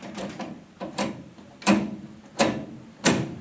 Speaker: Okay, we're in park. There goes reverse, neutral, drive, second gear, first gear, back up again. You can hear the detents.